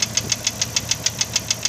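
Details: Engine (six-cylinder) at idle: sharp, even metallic tapping about seven times a second, louder than a lifter, started as a lifter cluck, fades at higher rpm but slaps on deceleration, from center below intake; owner suspects piston slap or worn cam lobe, unconfirmed.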